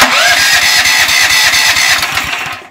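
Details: Powerfist 420cc engine on a 5000 psi pressure washer, used twice then stored two years unfogged, new BPR6ES plug fitted: starter spins with quick even puffs but never catches; low compression, won't start.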